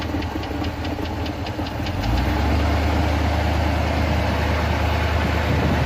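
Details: V8 after replacing spark plugs (previously running on about 6 of 8 cylinders) and turning down the idle, not started since yesterday: about two seconds of starter ticking, then catches and settles into a smooth, even idle.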